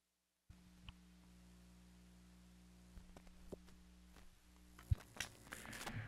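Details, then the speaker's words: Parts Express 240-398 XLR-female to quarter-inch line matching transformer used as mic input, after the shield was connected: a quiet, steady low hum with faint fuzz under handling clicks, audible with no mic attached; acceptable normal residual hum. "so let's see how it sounds now hmm a lot better here in a little hum oh pretty darn good or maybe that's just a room noise"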